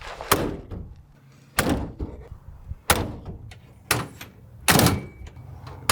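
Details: 1987 Suzuki Samurai tin top after new inner window seals, outer door seals and sound insulation: several solid, dull door thunks, each dying away cleanly with no buzz or rattle; the glass and seals sit tight.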